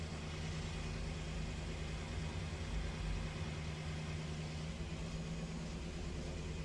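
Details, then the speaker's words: 2008 BMW 318 with intermittent misfire and cylinder 1 misfire code, during a diagnostic injector test with engine running: steady low idle sagging periodically as each injector is cut in turn to induce misfire; injectors later condemned as faulty. "so now testing all the injectors you can hear the engine dipping all right it's firing the injectors now you would see the red start to increase soon and start to induce misfire"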